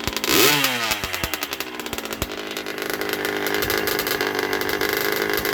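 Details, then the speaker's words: 1980 Yamaha YZ80G two-stroke, rebuilt with new piston, rings, small-end bearing, being run in, choke on, exhaust pipe cleaned, muffler needs repacking: crisp ring-ding blip to steady buzzing idle, louder but strong, no knocks; normal running. "Sounds a bit louder since I've cleaned out the exhaust pipe. The muffler needs to be packed."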